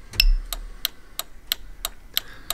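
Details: Volvo V50 after fitting towbar 7-way bypass relay electrics, indicator on while testing trailer socket: crisp evenly spaced clicks about three a second; flasher relay ticking normally.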